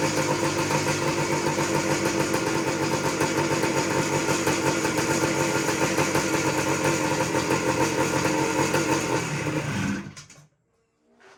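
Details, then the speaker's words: 1979 Suzuki PE250 two-stroke, stored for years, no air filter, cold; fast crackling beat holds about ten seconds then fades and dies when taken off choke, likely just needs warming up; cold engine stalling off choke. "I'm going to see if I can let it to run let it run a little bit longer and um it died as soon as I took it off the choke"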